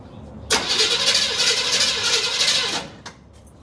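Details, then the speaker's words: 1976 Chevy half-ton long-bed truck off the road for years (parked with a bad water pump), oil low: steady, even cranking at about four beats a second with no grinding or dragging; normal cranking. "crank sounds good good don't sound bad it'll probably run I bet it runs it's a runner"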